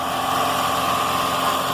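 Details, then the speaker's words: Car after fitting a new belt, with the alternator bearing fine: a steady, even engine hum with no chirp or squeal. Normal running with no belt squeal; the earlier noise was the old belt. "a questão é a correia nova rolamento alternador tá ótimo muito bom então não tem problema nenhum"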